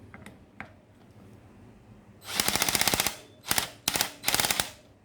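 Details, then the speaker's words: Black+Decker BDCHD18K 18V cordless hammer drill in screwdriving torque mode at maximum setting 10 on a size-8 bolt: rapid bursts of ratcheting clicks as the clutch slips. There is not enough torque; an impact drill may be needed. "kalau dia torsinya kurang atau lebih takatek bunyi itu sleep itu"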